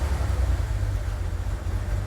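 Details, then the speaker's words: Wrecked auction BMW 330i, started after the engine was calibrated: deep uneven idle that lurches and stumbles, misfiring and still as rough as before; a shaft is noted as not moving right. Cause not confirmed. "still rough no so just as bad so it's starting it's running roughly"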